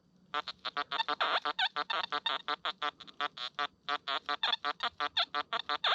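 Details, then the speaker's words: Metal detector on hot program 9 at 25 kHz swept over a hoard of stacked coins: rough, low grunting bursts about three a second. Both the display and the audio read iron despite the non-ferrous coins. "It's going the opposite way to indicate iron, and the audio is also iron."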